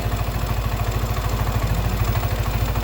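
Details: Yamaha N-MAX scooter at about 28,894 km, after replacing the broken bearing, idling. An even, steady low pulse about three times a second with no knocking or grinding. There was no white smoke, so not the piston; the engine now runs quietly.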